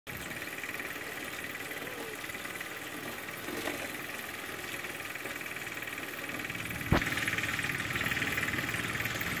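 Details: Wahoo Kickr 2018 replacement smart trainer spinning: steady whirring hum with a faint rhythmic pulsing, about four beats a second, and a vibration it has developed; cause unknown.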